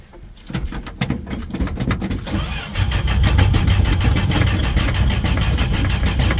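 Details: 1968 Dodge D100 hard start: starter churns in steady pulses for a long time before the engine catches and settles to a rough idle; likely fuel-starved.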